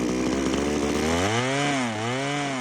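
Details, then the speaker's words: Power PRO24CCHTA 24cc petrol hedge trimmer at full trigger, air filter removed: two-stroke whine surges and bogs intermittently. Carburettor stripped with no blockage found, so it is being replaced. "see once again it's rev and then it just bug down and con out like it has done there"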